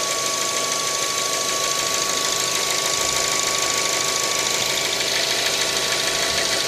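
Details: 2012 Mazda 3 1.6, 107,000 km: fast, fairly even tapping about twice a second over a steady engine hum; internal engine knock, source not pinned down. Cause suspected, not confirmed.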